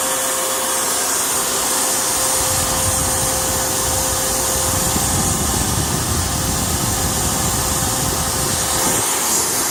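Steady loud hiss with a faint constant whistle over a smooth idle, the sound of an intake air leak.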